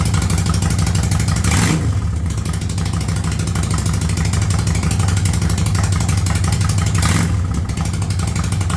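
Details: 1985 Yamaha Virago V-twin with a single-carb conversion, without choke: lumpy idle at about 1000 rpm with light throttle blips, settling back evenly each time. The new carb runs clean.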